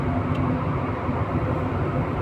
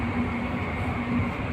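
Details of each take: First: 11 kW AHU blower motor with belt fitted, after fixing one missing phase through the soft starter: steady even roar at constant pitch, no surging or growl; phase currents checked, running normally. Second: 11 kW AHU blower motor that won't start: loud steady low droning hum without run-up, current over 500; defective soft starter passing only two of three phases, motor single-phasing.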